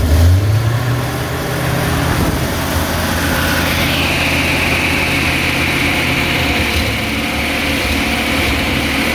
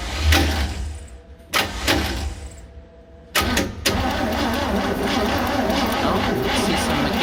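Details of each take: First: 1966 Chevy G10 van carbureted engine, first run in 30 years after sitting in a shed, fed from a separate fuel tank through the fuel pump: steady low even idle, no knocks or misses; runs well. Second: 1966 Chevy G10 van with the distributor cap back on and a new spark plug grounded on the block for a spark test: short, sluggish cranking bursts with pauses, not spinning fast enough; weak battery needs charging and starter acting up.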